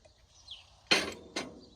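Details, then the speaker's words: Old removed governor from a 1951 Ford 8N tractor, rebuilt 21 years ago and with a governor issue ever since, shaken by hand: two sharp metallic clinks of worn internals bouncing around; replaced with a new Steiner unit. "I can buy a rebuild kit, but you can hear it bouncing around in there. This thing has seen better days."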